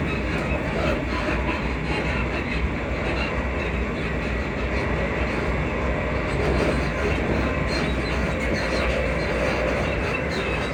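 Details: Class 334 unit 334031 moving on the Haymarket–Bathgate service: faint intermittent high squeaks over the steady rumble point to a squeaking suspension, cause unknown.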